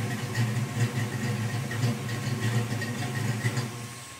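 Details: 1987 Ford Mustang V8 with BBK equal-length shorty headers, 2.5" H-pipe without cats and American Thunder 2-chamber exhaust, after the leak was fixed by notching the transmission crossmember to seat the header flanges: deep, even rumble through light blips, no puffing or ticking.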